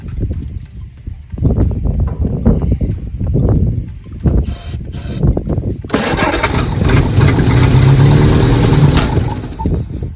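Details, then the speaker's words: 1967 Jeep CJ5 off the road 23 years, after checking the points and spraying brake cleaner down the carb: sputtering cranks and pops, then catches into a steady low rumble; old pitted worn points likely the cause. "there she is she yeah so all it was I guess was them points was bad maybe I could have done a little bit more filing on them I don't know"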